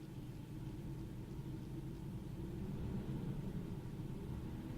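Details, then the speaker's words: Ford 5.4 V8 in park, no load, AC off, lightly cracked throttle at about 1400-1500 rpm: low, lumpy, uneven rumble with a bad misfire. There is no misfire under load at the same rpm, and fuel trims are fine. "i get more misfired it's like a sweet spot to get there right there it should be at two more it's like rough 1500 under with no load about 14 1500 no load it does it pretty bad there right there"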